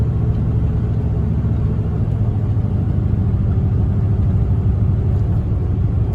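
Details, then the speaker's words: 6.5 diesel truck after a fix for losing fuel and dying under throttle; a plugged fuel sock in the tank is believed to be the cause. After 15 minutes of driving it shows a deep, even rumble, pulls smoothly, accelerates well and blows black smoke. "all right guys so I've been out here driving around for about 15 minutes now now and I don't have any trouble at all thing's running great"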